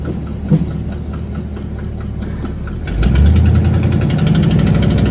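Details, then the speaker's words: Buick after new spark plug wires, cap and rotor fixed a misfire, on first drive: low engine drone builds smoothly as it pulls away, firing steady and even with no misses; healthy under load, though the problem later returned. "Running nice and strong, absolutely. He's firing on all cylinders."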